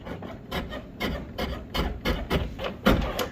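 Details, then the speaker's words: 1999 Chevrolet Suburban GMT400 door with worn hinge bushings, sagging about 1/8 inch, worked by hand: dry scraping rubs almost twice a second as the door drags on the striker, sharp pop on closing; sagging door rubbing on striker, fixed with new bushings. "You can see that door is sagging. Oh, it's dropped probably, I don't know, maybe 1/8 of an inch. I'll hold this handle up and look inside there. You can hear it rubbing on the striker."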